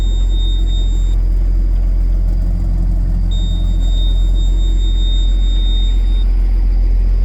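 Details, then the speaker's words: Case STX375 tractor diesel, repaired: heavy, steady low rumble at an even beat with a thin electronic whistle on top; runs cleanly and drives, though it still won't shift into 13th gear or higher pending a solenoid. "but it does run and drive on its own and it can be moved and that's what the uh owner wanted"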